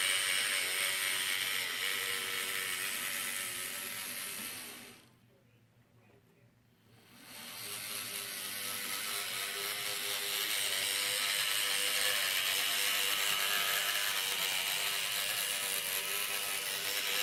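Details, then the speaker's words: Atlas GP9 model locomotive after decoder installation, running loud: high whirring with a steady ratchet-like buzz from the motor, pointing to binding bushings. "I'm gonna see if I can fix that so we're gonna get to it right now so from the other video you saw how loud that little locomotive was"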